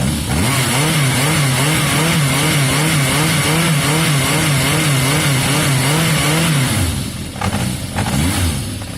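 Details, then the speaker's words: Yamaha XJ550 after carb cleaning, warming up with choke off: strong clean revs rising and falling smoothly with no misses or knocks, slightly smoky from carb cleaner burning off; idle a touch low; normal revving. "There, you can see it's warming up, you can hear it. It's revving very strong. Woo! Touch smoky, guys, but remember I've just put cleaner through the carb, so that's going to be working its way out."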